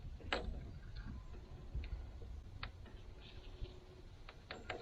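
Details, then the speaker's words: Hesston 620 swather sitting about 10 years in the bushes, jump-started battery, key on before starting: faint quick ticking clicks under a low hum, the electric fuel pump running normally. "I hear the fuel pump running"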